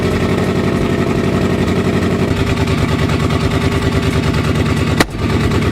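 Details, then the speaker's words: Freshly installed forged 4.6L 2V V8 on original injectors and old tune, start-up during break-in: rough lumpy idle with irregular sharp pops and cracks from the exhaust, nearly stalls at five seconds; backfiring, cause unknown. "what's all that backfire I don't know"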